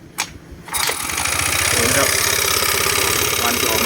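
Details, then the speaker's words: Yamaha Mio 125 scooter with a worn engine, hard to start, weak compression and fumes venting from the breather: it cranks, catches and settles into a rough, uneven putter near 200 beats a minute. Worn engine with unstable idle. "เดี๋ยวผมสตาร์ทเครื่องให้ดูนะครับผมรอบเดินเบาไม่นิ่งนะครับผมอาการของเครื่องรวม"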